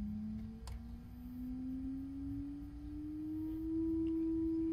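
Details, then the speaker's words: Alde 3020 caravan heating system in a 2015 Bailey Unicorn III Barcelona: the inline circulation pump gives a loud jet-engine-like whine that rises in pitch as pump speed goes up to 1–2. It sounds unhealthy even turned down. The pump is about to fail. "if i turn up that pump speed to like one or two listen to the sound and it's failing now the pump is actually not running even when i turn it down that's still not sounding very healthy"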